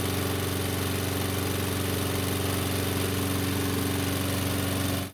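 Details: Curbside Toro mower, reportedly smoking, test-run on squeeze-bottle fuel: steady single-cylinder putter with even beats, idling a touch slow and lazy, cutting out after about two minutes when fuel ran out.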